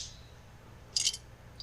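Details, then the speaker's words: Husqvarna 550XP Mark II chainsaw being shaken: short metallic jingling rattles in two bursts; first thought to be the oil tank pickup, clearly a broken-off piece loose inside the muffler. "you hear that ain't right the first time i heard it rattle i just thought it was the i thought it was the metal pickup in the uh oil tank on the end of the oil feeding hose but it's clearly something broken off in the muffler"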